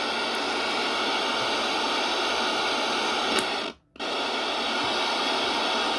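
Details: Previously dead radio after repair, on mains power: steady hiss of interstation static that drops out briefly as the dial moves, then returns; the set is alive and receiving.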